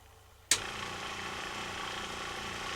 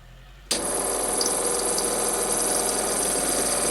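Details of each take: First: Replacement FlowJet RV trailer water pump, hooked up for a test before being mounted down: after a click it settles into a very quiet, even motor hum with no knocking or rattle; normal pump run. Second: Worn SureFlow 40 psi thermally protected RV trailer water pump running: steady harsh high-pitched squeal and hiss over the pump hum, likely dry worn bearings (suspected); pump to be replaced with an older 35 psi FlowJet.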